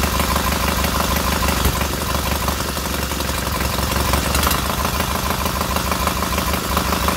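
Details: Freshly rebuilt K750 twin on first start-up, after a minor ignition fault stopped an earlier attempt: steady, even low thumping idle at about three beats a second with no misses, both cylinders firing and heating evenly; normal idle.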